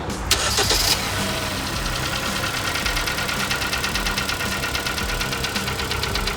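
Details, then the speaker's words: Kia Sportage G4KD petrol engine, 99,000 km, starting then idling with a steady, rapid metallic knock from inside the engine; also burning oil; going in for teardown and full overhaul. "Вот данный автомобиль сейчас заведём покажем какой идёт стук в моторе и будем загонять уже на дефектовку и полный разбор"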